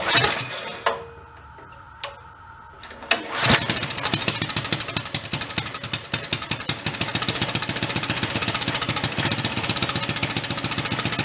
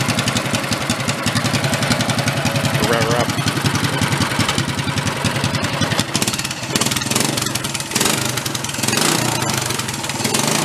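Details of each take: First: 1965 Chevy Monza go-kart with a bigger swapped-in engine, cold start on choke with a little throttle: single-cylinder catches into a fast, uneven popping idle that stumbles and hunts; idle is rough while cold. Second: Bigger engine swapped into a 1965 Chevy Corvair Monza go-kart, first run, quick throttle blips with even crisp single-cylinder exhaust pulses rising and falling: normal revving.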